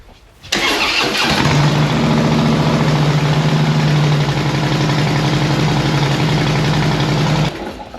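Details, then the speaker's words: 2014 Harley-Davidson Heritage Classic V-twin just fitted with Cobra El Hombre fishtail exhaust; catches within a second and settles into a steady, even, loping idle with a deep, medium-loud note, similar to the old pipes. "medium loudness about the same as the as the old pipes that were on it before"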